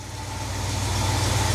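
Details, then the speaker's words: 1971 Cadillac DeVille 472 V8 on its first start with a freshly restored Quadrajet carburettor. A low, slow, slightly uneven rumble rising over two seconds because the fast idle is set too low; the owner suspects the shaky idle is internal to the engine. "all right same drill as last time they got the fast idle set pretty low I don't know why they thought that was a good idea"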